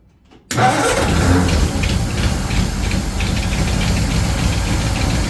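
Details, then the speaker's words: 1936 Ford 1½-ton truck, 8BA flathead V8 converted to 12 V with Pertronix ignition, cranking after sitting for years: even steady cranking, never catching; mechanical fuel pump not delivering fuel. "still no fuel okay I think I'll rig up a electric fuel pump real quick I think this mechanical will work again um but it's not working at the moment"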